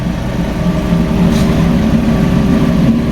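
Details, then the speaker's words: Fiat 500 small petrol engine idling after timing-belt replacement, cooling system bled and new antifreeze added: even, settled idle with a steady low hum, no knocks, misses or ticks; healthy, much better than before. "So it sounds a hell of a lot better than what it did before."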